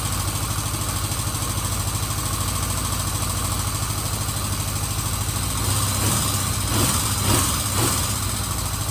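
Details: 1977 Kawasaki Z400 motorcycle with carburetors refitted to cure vacuum leaks, idling on about half choke while warming from cold: a steady, even low thrum, running properly.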